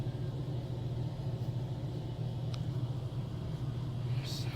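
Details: Household water heater/air handler running during a tank drain: a constant low hum and rumble with no change in pitch and no rattles; normal, smooth running.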